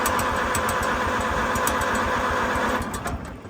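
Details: Farmall M tractor after checking the rotor and connections: steady starter churning about four beats a second, never catching, then winding down; cranks but won't fire, owner later suspects flooding from too much fuel.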